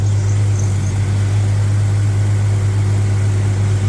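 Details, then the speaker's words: 1998 Jeep Grand Cherokee, 4.0 inline-six with 42RE automatic and about 470,000 miles, started after cycling the fuel pump (faulty check valve): smooth, even idle hum with no ticks or knocks, healthy. "And there we go. Sounds great for almost 500,000 miles, doesn't"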